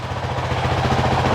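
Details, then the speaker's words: 2023 Honda CRF450X after thermostat delete (San Diego Powerhouse kit) and emissions removal, idling after 5 minutes: short, steady single-cylinder idle with an even, smooth beat and no knocks or ticks; sounds about the same, normal idle. "Sounds about the same. Think I like it. Think I like it."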